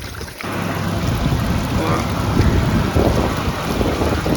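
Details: Brivis Contour L63 evaporative cooler (fan had run with no airflow) after replacing the faulty damper motor: after a brief quiet start, a steady rushing roar of air and water holds even with no knocking or grinding. Normal running; repair successful.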